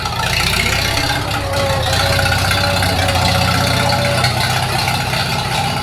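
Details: 1942 Farmall H tractor, hand-crank started in the garage after transmission teardown and repair of a scraping/screeching noise and hard reverse shifting, carburetor not yet adjusted: loud, steady four-cylinder idle with even low beat and sheet-metal rattle, no misfire or knock; normal running.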